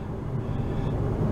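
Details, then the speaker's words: Dodge Avenger driving with window partly up after replacing a hub assembly: even road rumble and low tyre hum, no grinding or growl; normal wheel hub. "grinding noise None at all. None at all."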